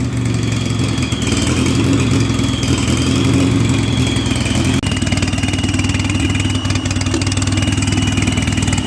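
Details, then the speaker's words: 1958 Oliver 550 gas tractor after valve adjustment and distributor check, starts right up but idles uneven and lumpy with faint whistle; smooths out when WD-40 sprayed at port; rough running from intake manifold-to-head vacuum leak. "Well, it started right up, but it still runs terrible."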